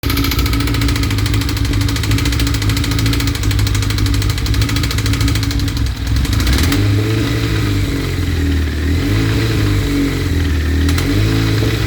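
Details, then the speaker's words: 1992 Suzuki GSX-R 1100 motorcycle running with uneven low drone, a noise that stops and comes back intermittently; cause unclear. "tu as vu, ça s'arrête, ça revient, ça s'arrête, ça Ouais. revient."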